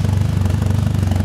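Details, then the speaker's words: 1997 Mitsubishi Eclipse with faulty upstream O2 sensor reading fixed rich, P0300 code: smooth on initial startup, then deep rhythmic chugging, lumpy idle once the O2 sensor is used; rough idle from misfire. "initial startup O2 related stuff don't use the O2 on initial startup so that also gives you a good indication of an O2 problem initial startup it runs good starts chugging after that"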